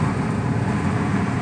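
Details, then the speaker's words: Ford Crown Victoria at idle and on throttle with the heater blower on full: steady idle under a dense rough chain-like rattle, worse with the heat on; started suddenly with odor and smoke, owner suspects timing chain guides, unconfirmed. "now when I press the gas you can hear this little sounds like that like a chain rattling sound"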